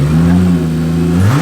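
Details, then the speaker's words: 2JZ engine in a Mustang after head rebuild with valve job and new valve stem seals: smooth, even low hum climbing cleanly with throttle, no knocks or misses; sounds smoother than before. "it sounds better than it did really actually does it sounds a little smoother well it's like a brand-new head"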